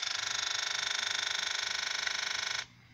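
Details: 2009 Kawasaki Ninja 650 that won't start, ignition on: high buzzing whirr pulsing three or four times a second for over two seconds, then stopping, like pump priming; throttle body fault suspected, starter gives only a relay click.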